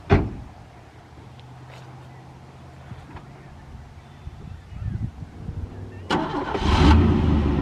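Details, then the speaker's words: Old rusty Chevy pickup cranking slowly and weakly with faint catches for several seconds before roughly stumbling to life; hard starting, as on the previous attempt. "I'm gonna go try and fire it up again because it was so difficult last time."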